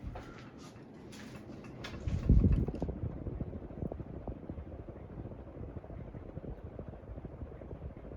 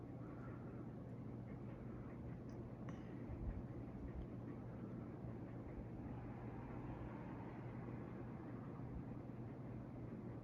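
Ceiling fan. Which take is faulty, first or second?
first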